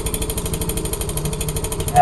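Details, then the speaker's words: Yamaha Mio i 125 scooter with stock pipe refitted, running: rapid regular clacking, about fourteen hits a second and tied to engine speed, an abnormal noise from inside the engine; the pulser rotor striking the magneto. "May kumakat sa loob ng makina. Ano lang to binakabit lang yung ano pero hindi normal yung ganitong ingay mga ka-rides"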